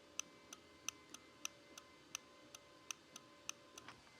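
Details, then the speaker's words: Razor E100 scooter controller on test with a kick-off simulated: sharp, light clicks about three times a second with no motor hum; the controller clicks but the motor won't run because the brake wire isn't jumped. "had a dollar for every time somebody called us and said my scooter makes a click but doesn't go there you go what's wrong that brake wire it needs to be jumped on these in order for the scooter to go"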